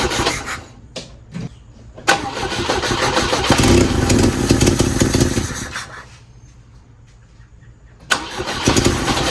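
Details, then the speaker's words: Abandoned 1967 Volvo 122S Amazon: it catches and revs with loud, raspy puffing that grows with throttle, from an exhaust leak at a hole in the header flange that wouldn't seal; a new 2-inch exhaust is being fitted. "This thing has made a lot of noise from the hole on the flange here. I've not been able to get it sealed up."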